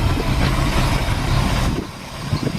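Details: Chevrolet C10 V8 first start after sitting ten years, plugs pulled and cylinders soaked with ATF before cranking, running off a five-gallon fuel can; steady, even low rumble settling into a smooth idle with no knocks or misses. Normal idle.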